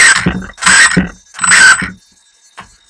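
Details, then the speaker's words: Team Associated RC10 B5m 1/10 2WD mid-motor electric buggy with a not very torquey sensorless motor: short punches give high motor whine that flares freely with little bite, as the slipper clutch is still set too loose and slips more than wanted. "let's go back a little bit still a little more slip than i would like"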